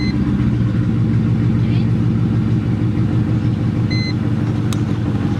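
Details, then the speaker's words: 1999 Mercedes E55 AMG V8 after fitting a junkyard coil pack on cylinder 4 to cure a misfire: even, deep idle with steady low rumble, no stumble or skipped beats; no longer feels like it is misfiring. "So it doesn't feel like it's misfiring and reversing out. And that was the main thing."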